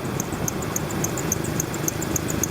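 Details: Car serpentine belt drive at idle: fast, steady high chirp three to four times a second over the running engine; idler pulley suspected and checked for wobble, power steering pulley wobbles slightly. Loose idler pulley squeak.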